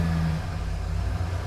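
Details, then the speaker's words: 1993 Ford F-150 OBS 4x4 on 38-inch tires, after a throttle position sensor replacement fixed stalling: restarts instantly and holds a low, steady rumble with no stumble or dip; healthy idle, check engine light off. "Cranks right up. Idle's great."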